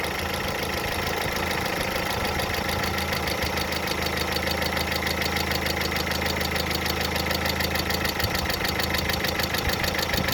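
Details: Hydraulic lifters tapping at idle after water got into the oil: fast, even light ticking over a steady engine hum; fully cured by an oil change.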